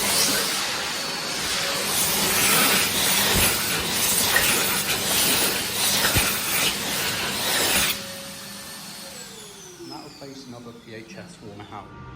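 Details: Hand dryer filmed new in March 2024 and again in November 2024 and February 2025 as it deteriorated: loud rushing blower with a rough, wavering roar for about eight seconds, then spin-down; worn motor running harsh.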